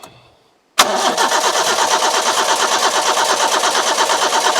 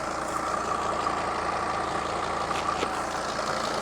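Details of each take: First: Petrol carburettor engine with coil and distributor, fuel poured into carburettor float overflow: even starter cranking about three compressions a second for seven seconds, never fires; crank no start, owner suspects lacking spark. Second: Mercedes Sprinter van with 602 diesel, just started after sitting abandoned two years, full tank, oil light out: smooth, even idle with steady light clatter, no knocks, misses or hunting; normal diesel idle.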